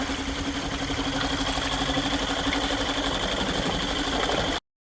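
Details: Yamaha 2.5 hp four-stroke outboard, after carburetor reinstallation and fresh oil change, chugs at an even fast idle of about four beats a second with a steady faint whine and no knock; normal idle.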